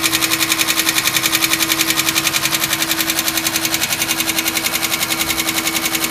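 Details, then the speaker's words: 2005 Chevy Equinox petrol engine, cold start: steady sharp knock about three beats a second at idle that stops once the engine warms up; owner suspects it was low on oil, cause unconfirmed. "I got a 2005 Chevy Equinox having some problems when I turn it on it starts knocking and then after warms up it stops knocking"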